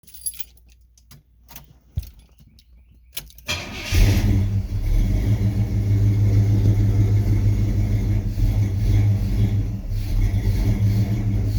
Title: Holley Sniper rough idle and no power